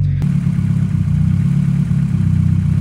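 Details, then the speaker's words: First start on a Burton Racing kit in a car that sat a while: loud, low, lumpy idle with steady throbbing beat, slightly uneven, still settling; owner thinks excess fuel from repeated priming sits in the fuel rail and needs burning off. "this car also need to like stay idled and you know stay on because uh it's been sitting for a while and I just kept priming it when I was trying to figure the issues out so there's probably just a bunch of fuel in the fuel rail that needs to [ __ ] just burn up"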